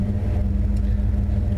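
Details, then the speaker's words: Truck idling just after alternator replacement and suspension work, before a test drive: low, steady rumble with a slight rhythmic unevenness. The owner says it idles kind of weird, probably because the air is on. Cause unclear. "it's idling kind of weird H probably because the airon on"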